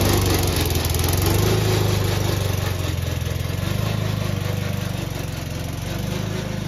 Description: Old toro recycler. Still cuts nice Kentucky Bluegrass. But is making a racket from the drive system.